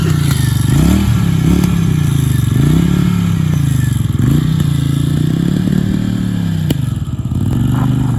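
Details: Barn-find Honda SilverWing GL500 that sat outdoors for decades, revived and cleaned up with a new key and valve stem: a low, steady beat that rises and falls with throttle blips, running evenly with no knocking. Normal running.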